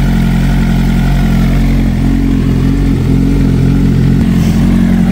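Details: 2007 Suzuki GSX-R 600 K7 after a full service: new water pump for a hot oil leak, plus fresh oil, coolant, spark plugs and air filter. Steady, even idle with a smooth low throb and no knocks, misses or rattles; healthy.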